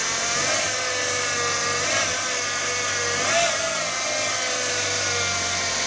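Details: Fiat Palio Attractive Fire Evo engine running with a high whirring whine that swells about every second and a half; owner asks about the engine noise, source not identified.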